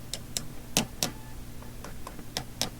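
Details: Philips Sonate BA581A tube radio under repair: sharp irregular crackles and pops over a low steady hum; a recleaned tube socket made it worse, owner suspects something shorting inside; intermittent crackle, cause unconfirmed.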